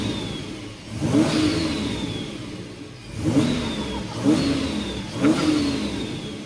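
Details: Toyota Prado 5VZ turbo V6 (Haltech), rebuilt overnight after two bent conrods caused a bottom-end noise: four clean rev blips rising and falling smoothly, no knock or tapping underneath. The bottom end sounds healthy.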